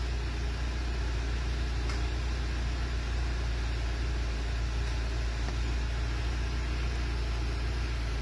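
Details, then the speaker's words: 2019 Renault Symbol 1.2 16v, 60,000 km, cold-start vibration complaint; started cold after about four hours off, idle is a steady, even low hum with no shake, misfire or tapping, running stable and smooth. "نوض هاكي بارده شحال عندها هي طافيه؟ ثلاث سوايع وحده تسعه تجي تسعه اربع سوايع هاي بارده الحمد لله هذه هي النتيجه. Terminate en stable."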